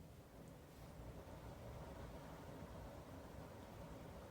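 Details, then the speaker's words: Dreo Pilot Max S tower fan, DC motor, running at a high speed setting: smooth steady rush of air with an even low motor hum and no whirring or bearing noise, unlike the Pilot Pro unit; normal running. "So at this speed you could hear it blowing blowing air and you could hear the uh the motors I mean the motor I should say spinning but at least to my hearing I I don't hear that slight worring or bearing noise that I did in the Pro."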